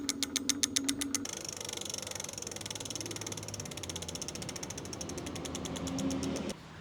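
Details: Lectric XP 750 W folding eBike after fitting new parts: light, fast ratchet clicking slowing as it coasts, no motor hum; hub freewheeling normally.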